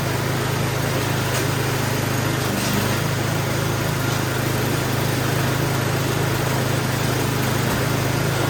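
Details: Murray snowblower small single-cylinder engine during a service, while the traction drive and auger are tested: it holds a steady, even drone with no knocks, misses or speed hunting and sounds healthy.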